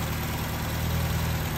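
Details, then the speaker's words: Restored car after repairs, with a freshly painted airbox, waiting for the cooling fan to kick in: steady, smooth low idle with an even beat, no knocks or squeals. Running cleanly, fan working; normal idle. "The sweet sound of success. She's running. The fan's working."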